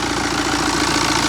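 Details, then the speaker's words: 2013 Mini N47 diesel, first run after timing chain replacement and engine refit: steady idle with even, light tappet clatter, no misses or hunting; running normally. "to be running fine obviously I can't run it for too long right let me turn it off"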